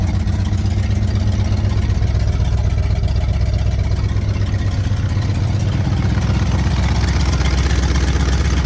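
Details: 1968 Pontiac Firebird 400 V8 at first start after sitting since 1986, points cleaned and gapped, fuel poured in the carb bowl: deep, even burble at steady idle with no knocks or misses; running smoothly.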